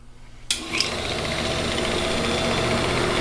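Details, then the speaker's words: Accu-Turn 8922 combination brake lathe, as-found ungroomed condition: motor starts cleanly and settles into a steady quiet hum with light whir, no knocks or grinding; belt cover removed because belt was flopping against it. Normal running. "can hear the motor is nice and quiet it's just this cover here the the belt was flopping at it so we just took it off"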